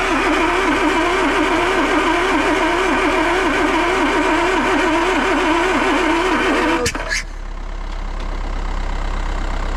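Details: Land Rover 2.25 petrol, standing for months, fitted with a refurbished Zenith carb, new distributor, coil, HT leads, solenoid, fuel lift pump and starter, spark confirmed: starter cranks about four turns a second for seven seconds but the engine never fires.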